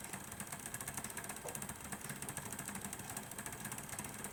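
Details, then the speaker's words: Model P2 Cock O North locomotive drive. Quiet whirring with an uneven tick a few times a second; unsure whether the motor or the gear meshing is at fault; uneven running. "I can see it and I can feel it that there is something not right with the meshing of uh of this Worm Drive here underneath the Cog that's driving to see that right so you can see it's not it's it's not smooth operation"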